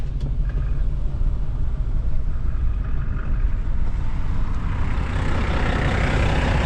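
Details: 1987 Mack 10-wheeler diesel with past fuel supply issues (owner suspects low fuel or a short draw tube), before a long trip: deep steady rumble with an even beat, no knocks or misses: normal diesel idle.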